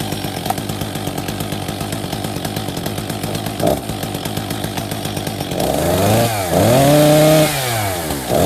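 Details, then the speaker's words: Husqvarna 262XP after a new clutch drive sprocket and bearing. It idles with a fast burbling beat, then revs up and down while the T-screw idle is adjusted. The chain keeps creeping at idle, suggesting a stretched, overheated clutch spring. "It controls the idle speed, just to show that no matter what, the chain keeps moving slowly."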